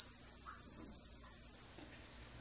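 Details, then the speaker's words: Sony Walkman WM-EX102 cassette player, opened up, drive motor powered: thin, steady, very high one-pitch squeak over near silence from a dry motor bearing; squeak later stopped with WD-40. "no we do have power oh there we go today everything squeaks so"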